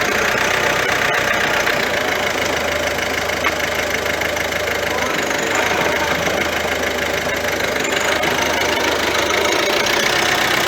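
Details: Ford C-Max 1.6 diesel after the gearbox, which had been whining (suspected differential bearing), was reinstalled: steady running with an even hiss and no whine or growl from the manual gearbox.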